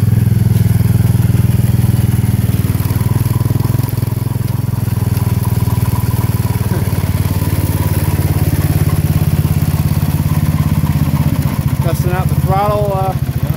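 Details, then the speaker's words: 1970 Sears Suburban tractor, 16hp Tecumseh OH160 idling: steady low chug with irregular clunks about three a second; loose front engine mount, rubber mounts suspected shot, so the underside bolt head strikes its bracket. "yeah it's that front one yeah the noise you're hearing that clunking sound is the bolt head on the underside hitting that uh bracket"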